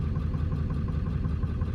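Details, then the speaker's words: 1997 Ford F350 7.3 diesel, not started in months, cold start on a fairly warm November day: deep, lumpy idle missing badly with heavy white smoke. Injector problem suspected. "Let me know if your truck does something similar to this right here. You can hear it's missing pretty bad"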